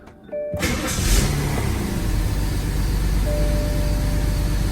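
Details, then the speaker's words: 2004 BMW 525i with a cylinder 2 misfire code and the car shaking: starts, then settles into a lumpy, uneven, stumbling idle. Cylinder two is misfiring. "it's causing a misfire and it car kind of shakes so let's find out"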